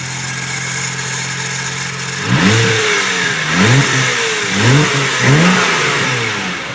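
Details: Toyota 1J engine: steady idle, then throttle blips bring a rising, chirpy whine climbing and falling with each rev; owner suspects timing belt tensioner or power steering pump.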